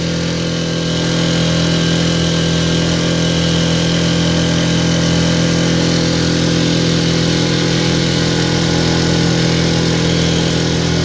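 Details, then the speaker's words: Mercury 4 hp outboard on a boat, no-start revived, held at full throttle, not planing, motor possibly mounted too far out: steady drone that never climbs to a crisp high note; sounds low on rpm, reason unclear. "Got it floored. I don't hear the RPMs that I feel like I'm supposed to, but I've never owned this type of outboard."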